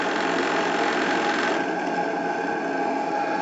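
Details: Live-steam RC model single-membrane gas regulator with a replaced, doubled membrane; steady high buzz with fast flutter and no engine rumble as the diaphragm oscillates at its regulating pressure before stabilizing.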